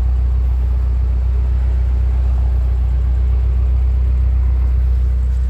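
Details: 1995 Toyota Starlet 1.3 carbureted (EP81), at the tailpipe: even, steady low drone with no misses, puffs or ticking; exhaust dry with no oil burning. Normal idle.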